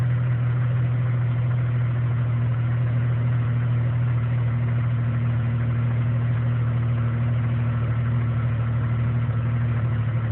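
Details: 1999 Jeep Cherokee Sport 4.0 L I6: deep, uneven idle rumble that wavers instead of staying smooth; rough idle now sometimes dropping to about 300 rpm, near stalling.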